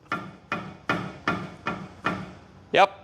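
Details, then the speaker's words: Helicopter tail rotor drive shaft worked by hand at a good point further down, for comparison with the worn bearing. Soft, even small thunks about every 0.4 s with no hard knock; this is normal. "It's supposed to go thunk, thunk, like this down here."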